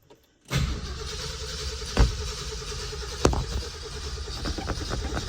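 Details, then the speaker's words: 1968 Ford F250 with a rebuilt 390 V8 and 57,000 miles, started after sitting over a year and a half: the starter turns slowly and unevenly, sagging between compressions; the battery is struggling, with choke or flooding suspected. "battery's not liking it does she want to be choked or do we think we're flooded"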